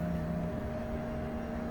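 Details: 2004 Country Coach HWH slide room coming in on test two after track roller adjustment: steady, even motor hum at a constant tone with no grinding, popping or binding; sounds nice, almost all the way in.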